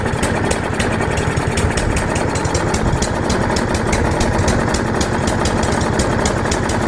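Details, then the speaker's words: About 15-year-old lawn mower, first start after winter storage outdoors, started with starting fluid while the carburetor was empty: fires up and settles into a quick, steady, even putter with no misses or rattles. Normal running. "I'm just gonna set this camera down and start it up and see what happens. Alright, sounds like it's going."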